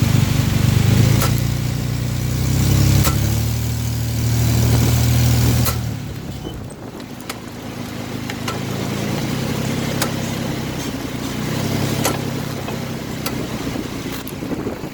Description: My car started exhibiting a knocking along with a tangible push while driving.